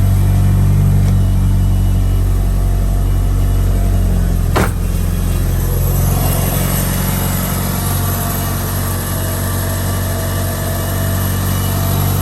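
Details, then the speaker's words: Evo 9 with Tial MVS 38mm wastegate (springs just swapped) and Grimmspeed 3-port boost controller, cold start: deep idle with a coarse metal-on-metal rasp from the blow-off valve stuck open, which closes and goes away with throttle. "it sounds like metal rubbing on metal but if you give her some gas she closes goes away kind of wild makes the car sound kind of terrible"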